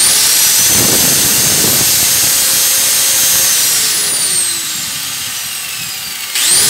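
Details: Angle grinder after repairing its no-start fault and reassembling the cover: high, steady motor whine at full speed that winds down smoothly and spins straight back up, a healthy grinder.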